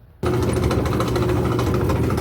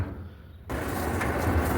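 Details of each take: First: Whirlpool/Kenmore gas clothes dryer, igniter lighting normally, noisy only while drum spins: steady, heavy low rumble and hum from a worn drum support roller bearing. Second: Whirlpool gas clothes dryer after repair with belt refitted: quiet start, then the drum builds to a steady even rumble with no squeal or thumping; one drum fin still missing, runs normally.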